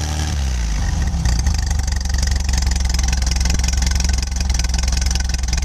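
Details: 1966 VW air-cooled engine starting and idling; lumpy idle with uneven low knocking; engine knocking noise, owner checking for a loose cylinder head, not confirmed.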